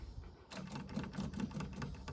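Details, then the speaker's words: Honda S600, ignition on, engine off before cranking; faint, rapid, steady ticking as the electric fuel pump primes, pushing fuel into the engine; normal priming sound. "So you can hear the pump priming there. That's pushing fuel into the engine."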